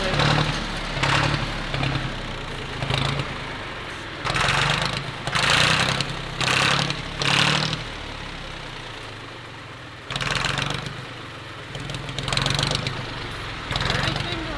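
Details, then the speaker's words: Little garage-sale tractor with a hole plugged with a rubber stopper and C-clamp: cranks in uneven bursts about once a second, catching then sagging, never idling; hard starting, owner suspects a weak fuel pump, fuel lines already replaced. "I think maybe the pump is just not strong enough. It's weak or it's bad or something. We've replaced fuel lines. We've done all that."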